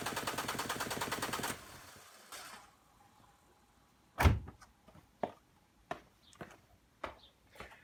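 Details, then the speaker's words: Renault Clio 1.5 dCi 65 diesel after fuel filter replacement, primed with hand pump: catches and clatters briefly, then dies within two seconds from air still in the fuel system; more pumps needed before retrying. "as you can hear of course it died looking knew it would and rather than keep cranking it my god give it a few more pumps and then try again at the moment"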